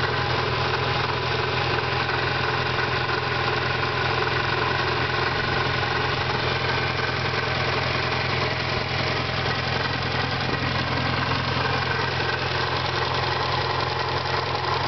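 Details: 1991 Eagle Talon TSI with small 16G turbo and adjustable wastegate at idle: busy, uneven rattling chatter over the steady run; owner suspects a failing pulley, valve trouble or a stretched timing belt, due for replacement in a week.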